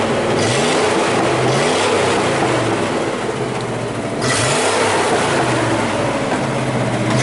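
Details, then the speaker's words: 1979 Chevy square body 3/4 ton 350 V8, running again after about 23 years sitting, still warming up: steady idle then several smooth quick revs rising and falling, no misses or knocks; normal idle and revving. "just sits there and purs like it shut off yesterday yeah pretty cool a't it"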